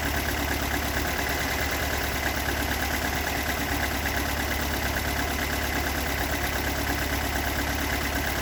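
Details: Toyota AE86 with stock bigport (blue top) 4AGE, unmodified, regularly maintained, about 195,000 km; uneven idle with dull knock about three per second, recorded cold to warm at exhaust, cabin and engine bay; cause unknown.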